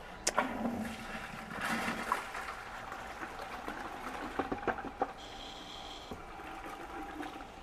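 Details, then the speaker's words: RYOBI RY20UP02 18V One+ telescoping pole pump, another run pumping half a bucket to test back-siphoning: steady rush of water with faint motor hum and a brief high tone; normal running. "Let's run this once more. So I'm curious. I'm going to pump half of it in here."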